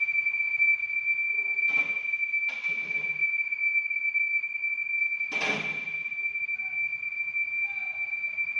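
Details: Audi A8 L 2015: a steady, piercing high-pitched whistle holding one pitch throughout, from a failed PCV oil separator leaking vacuum.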